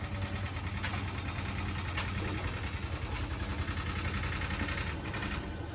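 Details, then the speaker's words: Bosch WFP3300 washing machine after new bearings and door seal, 1600 rpm spin: low even drum hum with light swishing, no rumble or grinding; bearings healthy, tumble dryer clacking in background. "so it's not super silent as it goes through as it goes through the spin and increases the ribs but it's pretty good it's not ringing in my ears like the other machines"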